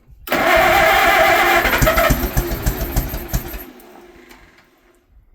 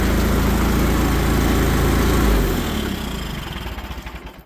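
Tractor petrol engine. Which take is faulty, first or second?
first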